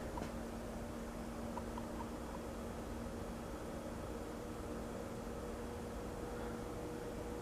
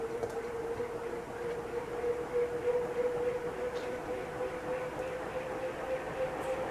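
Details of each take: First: Safer-made Airmaster industrial ceiling fan, revived after stiff bearings and a blown capacitor, turning slowly on low through a solid-state speed control at about 0.19 A. Quiet, steady hum with a buzzing tone. Motor buzz from the solid-state control; varnishing the windings is suggested as the fix. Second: Restored Safer-made Airmaster industrial ceiling fan with steel blades, a stamped steel motor and a replaced capacitor after a stiff-bearing seizure. Winding up on high as current drops from 0.73 A: smooth steady whoosh, even tone near 500 Hz, no knocks; healthy.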